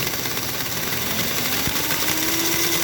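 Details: Old K5-type Magna Rossa Fat model train chassis (c. 1947–48) on rolling road, armature smooth but drive wheels lumpy: fast, uneven mechanical chatter over busy motor whir; loose drive linkage rattle.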